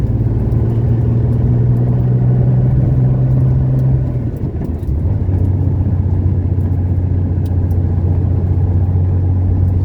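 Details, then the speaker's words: 1970 Porsche 911T flat-six on its road test after 5 months of work and a fuel pump fix: deep, steady drone pulling strongly, with a brief dip at a gear change and then an even pull again. Normal engine under load. "Running pretty good though. I'm pretty satisfied."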